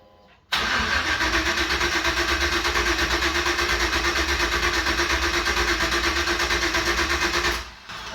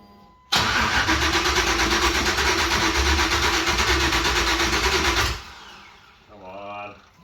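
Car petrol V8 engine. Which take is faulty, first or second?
first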